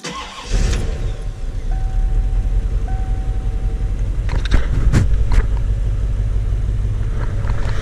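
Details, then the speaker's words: 1993 Chevrolet Corvette LT1 after bypassing VATS and repairing crusty wiring, first start: fires and settles to a steady, deep idle with regular low beat and no stumbling; runs better, wiring fixed; normal idle. "better yeah those are fixed it's good"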